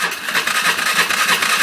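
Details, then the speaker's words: Polaris Sportsman 500 after carburetor rejetting, battery low: steady starter churning that never fires; fuel system not yet primed, fuel pump priming, idle settings recently changed. "settings once again it needs a prime itself so the fuel pump I think I turned on the gas again going to try it for a few more seconds if it doesn't start I'll check the fuel"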